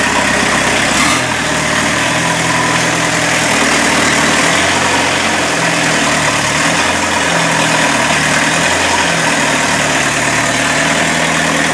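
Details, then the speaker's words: Mazda B1800 / Ford Courier pickup with VW diesel swap, started after about five months sitting, no hood, exhaust not yet built: steady, even diesel clatter at smooth idle, no misses or knocks, settles quickly; normal diesel idle. "but I'm really surprised and how well this thing started up and drove on the trailer"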